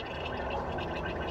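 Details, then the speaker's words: Abandoned 1969 Mercury Marauder X-100 engine, not running, cylinders filled with fluid: steady wet gurgling as one cylinder drains too fast; hole in piston suspected, dipstick to be checked. "Because if I pull it out and it's immediately full of marble, I know we got problems. Because it shouldn't drain that fast."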